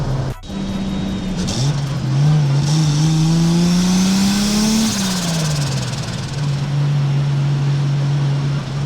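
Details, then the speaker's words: Toyota 2JZ turbo six in a BMW E36 on a test drive at 0.5 bar (7 psi) boost: smooth clean pull as revs climb, hold and settle, no knocks or rattles; normal under boost. "Nothing crazy though, just 0.5 bar or 7 psi of boost, which means this 2JZ is barely breathing, but it's just enough to have some fun."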